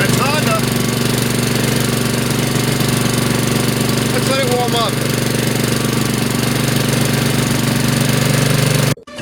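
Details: Mower, first spring cold start on choke: steady fast single-cylinder putter at even speed with a constant low hum underneath; warming up smoothly, healthy.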